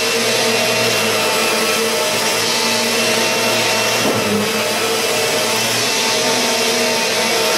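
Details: Kirby G4 vacuum needing motor bearings changed, vacuuming a mat in comparison with a near-new Sentria II: steady high motor whine with a rough, gritty edge over the brush roll hum; worn motor bearings.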